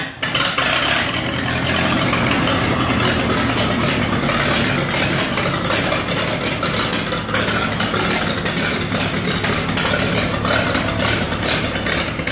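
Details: 1948 Lincoln SA-200 welder engine, unfueled for years, running off a rigged-up fuel supply with the carburetor back on and needing hard cranking: it catches and settles into a steady, even, smooth run with no knocks or misses. Normal running.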